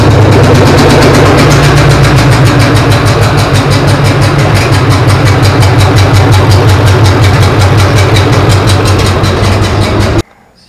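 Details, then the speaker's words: P48 project engine first start-up after routing fuel lines, fitting plug wires and setting timing, no coolant yet: catches and settles into a steady, even idle with firm low exhaust pulse, no knocks or ticks; runs healthy. "but yeah starts up sounds great idles great so I'm super super"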